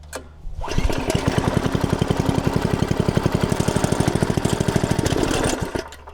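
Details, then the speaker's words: Log splitter small single-cylinder engine, long unused, fresh gas, warming oil: putters evenly at low speed a few seconds then dies when throttle is raised. "so it will crank but you bring the throttle up and it dies"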